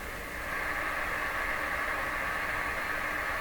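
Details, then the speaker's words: Johnson Messenger CB radio during receiver IF alignment, switched to the antenna input with no antenna connected: only an even, steady hiss with no signal, with the volume turned up loud. "they have no antenna whatsoever on it right now that's why I took this off earlier"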